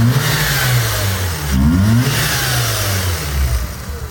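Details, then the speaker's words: Mazda RX-8 Shinka edition, 13B rotary engine, 6-speed manual with LSD, bought at auction: smooth, even hum rising and falling cleanly with the throttle, free of knocks or flutter; healthy rotary. "This is the sound of a living 13B, an engine that spins different from any other, smooth, linear, no vibration. This rotary engine isn't just alive, it's healthy."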